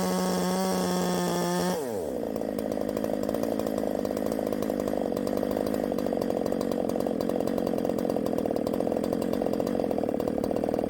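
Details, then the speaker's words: 372XP clone chainsaw at full throttle: screams clean then bogs into ragged burbling roar up top; ignition timing advanced too far, not four-stroking, advance to be reduced. "too much Advance we're going to take some out too much Advance that's when all that noise is up top"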